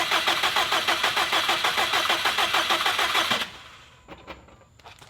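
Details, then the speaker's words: Rebuilt 2017 Subaru STI, first start on a base map after oil priming with crank sensor unplugged, before coolant fill: even cranking about three per second, fires briefly then dies and won't restart; fuel pressure on regulator was reading low. "so it fired didn't last very long died and uh then it sounds like it didn't want to do anything else"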